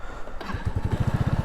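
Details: Lexmoto moped fitted with cheap eBay nitrous kit, before nitrous use: engine settles into quick even putter about twelve beats a second, no misses; clean healthy idle.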